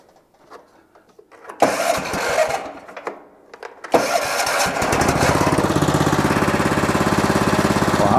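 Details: Old riding mower after fitting cheap Chinese knockoff carburetor and tightening a loose leaking fitting; small single fires up after handling noise, quick even putter, no surging or hunting; running right.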